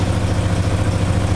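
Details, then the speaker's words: Alfa Romeo 156 TS Twin Spark after major engine rebuild to cure knocking, warming up at idle, no antifreeze or oil leaks; smooth even low hum, steady beat, no knocks or ticks; normal idle. "Он ещё конечно поработает прогреется понаблюдаем слава Богу всё сухо ничего не капает ни антифриз ни масло ничего это радует"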